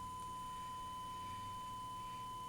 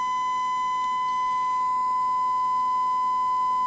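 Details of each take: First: 1968 Panasonic RE-7671 AM/FM receiver, germanium amplifier fed a 1 kHz sine test tone, right channel: steady pure single-pitch tone without hum, buzz or crackle, clean output, unlike the distorted clipping left channel. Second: 1968 Panasonic RE-7671 AM/FM receiver, germanium amplifier left channel fed a 1 kHz sine wave: harsh buzzy tone instead of pure, top half clipping from badly set bias.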